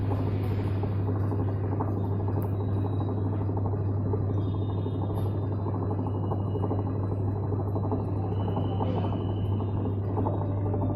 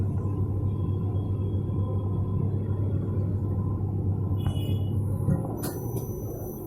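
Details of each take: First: Whirlpool Stain Wash Ultra 6.5 kg washing machine on spin (power program): loud steady low drone with rough rattling from a worn gearbox and bearings (6006, 6205), also leaking water; gearbox, bearings and oil seal replaced; worn gearbox and bearing noise. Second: Whirlpool Stain Wash Ultra 6.5 kg washing machine on spin after the gearbox was replaced with new 6205 and 6006 bearings and an oil seal: a steady, low, even hum, with the earlier spinning noise now gone.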